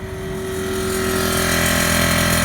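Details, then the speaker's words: Newly installed VIAIR onboard air compressor mounted in a truck toolbox, first start: the motor spins up over a second into an even, steady, fairly quiet hum. Healthy, normal running. "It's actually pretty quiet."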